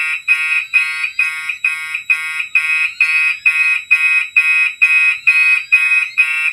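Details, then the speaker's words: Gentex horn on a fire alarm circuit set to continuous, coding itself to the older pulse march-time pattern: shrill pulses sound evenly about two per second; the horn is coding and sounding properly. "The knack for this horn is set on continuous, but it's going to be coding itself to the pulse march time pattern that these older ones had the option for."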